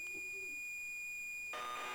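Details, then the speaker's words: Unknown cassette tape thought to be ZX Spectrum, game Leapfrog: steady high carrier tone, then a sudden switch to a buzzy two-pitch warble; BBC Micro tape data, not Spectrum loading. "yeah bbc i'm afraid that leapfrog is definitely bbc"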